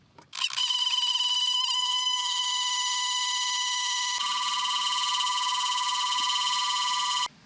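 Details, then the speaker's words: 1986 Porsche 944 heater temperature control motor, heater stuck blowing hot: loud harsh steady electric buzz for about seven seconds with no movement when dial turned; motor suspected broken. "So, the issue I'm having is basically you turn this on. What's supposed to happen is when you turn this temperature dial, the motor is supposed to move, but nothing is happening."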